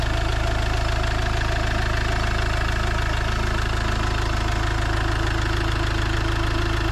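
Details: Iveco Daily diesel van (being converted to a motorhome) at a steady low idle, around its engine oil, oil filter and diesel filter change: even, regular clatter at about three beats a second, no misses or knocks; sounds healthy.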